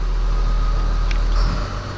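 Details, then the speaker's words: John Deere 6068AFM75 266 hp marine diesel on a Nordhavn 52, about 10 years old, nearly 11,000 hours, ice-cold start: steady deep rumble at a raised 950 rpm fast idle (normal idle 800), even firing, no knocks or misses; normal cold warm-up. "click that just click and hold bat and what will happen it goes up to 950 rpm"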